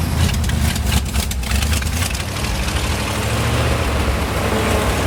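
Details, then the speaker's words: 1971 International 1890 plow truck, revived after a carb rebuild and fuel line work. A deep, steady low rumble holds for several seconds with no stumbling; it now stays running. Normal idle. "think the bow throws down seems to want to stay running pretty cool"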